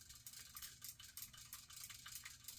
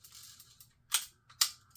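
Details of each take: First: Vintage Penn 350 Leveline reel after repair of a locked-up level-wind, handle turned: light, quick metallic ticking rolls along evenly with no catches or grinding; the level-wind cycles normally. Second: Vintage Penn 350 Leveline fishing reel after reassembly: two sharp metallic clicks with a lag before engagement; nothing presses against the spool, so it engages slowly.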